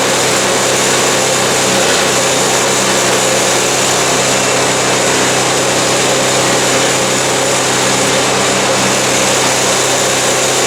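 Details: Cheap MTD snow blower small engine with governor issues, running unloaded: screams at a steady high pitch; governor spring set too tight, so the engine overspeeds and the spring needs tuning down.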